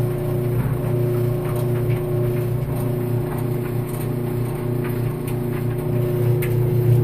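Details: Maytag Maxima XL dryer, after warming up: deep rough grinding rumble pulsing about three times a second over a faint steady hum; grinding noise when warm.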